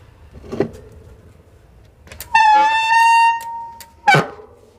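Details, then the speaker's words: Hero MTB bicycle disc brake, mic mounted next to the disc: loud steady high-pitched squeal about a second long; minor oil got on the rotor during lubrication, making the brake slip, squeal and work poorly. "Minor oil जाने के बाद जो है disc plate को इसका ख़राब कर दिया, स्लिप करता है और नॉइज़ का प्रॉब्लम भी आता है और ब्रेक सही से काम भी नहीं करता है।"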